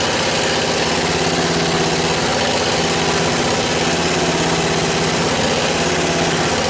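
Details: 1977 MTD 990 16 hp Dayton-badged tractor engine after the points were done, the coil gapped and ignition and starting-system wiring faults fixed: steady, even putter at idle with no misses or stumbles, firing cleanly.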